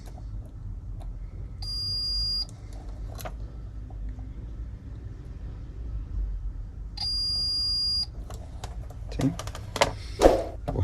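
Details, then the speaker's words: Liliana turbo heater that won't turn on (power supply fault): continuity test on a diode in the switching power supply gives two solid, unbroken high beeps of about a second each as the probes touch; the diode is clearly shorted and to be replaced. "bueno acá lo tenemos claramente está en corto"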